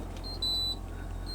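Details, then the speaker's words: Toyota HiAce-based camper van (about 10 years old) inverter panel: single sharp high-pitched beep over a quiet hum, V indicator flashing at 10 V while lithium battery shows 26%; inverter input low-voltage warning, cause unknown. "Aud un bip. Cred că asta e. Acesta este afișajul panoului de instrumente al invertorului. V-ul de aici clipește la 10V."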